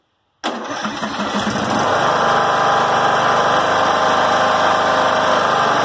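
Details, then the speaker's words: John Deere L100 rider, after resetting governor arm: starts at once, steady even drone about 3100–3200 rpm, within 2800–3200 spec; no surging, rain outside. "right around 3 100 3200 perfect should be between 2 800 3000 3200 at the very max so that is good"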